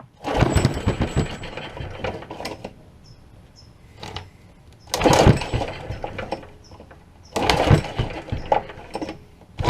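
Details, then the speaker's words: Old Honda pull-start engine, sat for years: three rough pull-cord bursts, spins but never fires without starting fluid; has spark and air but runs only on starting fluid, so not getting fuel; cranking, no start from fuel starvation. "well obviously it has spark and it has air but it only runs on the starting fluid"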